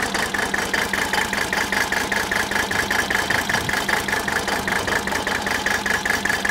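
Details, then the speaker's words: 1983 Mercedes 300D diesel, declared dead by a mechanic (suspected bad piston), tested by loosening injector lines one at a time at idle. Uneven, lumpy clatter about 100 beats a minute. Misfire on cylinders 3 and 5; compression test next. "okay gasoline alright so we've got we've got issues with number three and number five"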